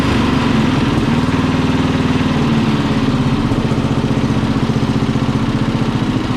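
Small single-cylinder engine running steady and even at a fast idle, with a quick regular putter and no misses, knocks or surging.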